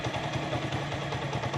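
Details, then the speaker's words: Motorcycle single-cylinder carburettor tuning, engine started and idling: slightly lumpy, wavering, vibrating idle that won't settle; the petrol-air mixture screw is mis-set and is being opened slightly and idle slowed until the beat runs smooth and the jerking stops. "ये जिधर इसकी आवाज़ बिल्कुल स्मूथ हो जाए उधर इसको छोड़ना है। ये देखें, आवाज़ इसकी थोड़ी सी वाइब्रेट कर रहा है। थोड़ा सा आपने खोलना है इसको।"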